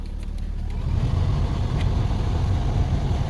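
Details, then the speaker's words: Lexus blower fan after replacing a cabin air filter clogged with dust and debris: smooth even low whoosh and steady drone, no rattle or flutter; fan noise present before replacement is now gone. "Yeah, it's much better. Before it was a noise. Every time I turn the fan on, I can hear the noise because the filter was kind of blocked with dust, debris, and everything."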